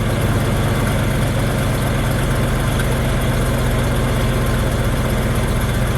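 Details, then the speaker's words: Ford F250 manual truck, just started after fuel pump work: even steady idle, a bit fast at around 1000 rpm, no misfire. Idle set high; owner suspects TPS, MAP sensor or throttle plate setting. "It's idling a little high. Well, at least for now. We'll see if it goes down."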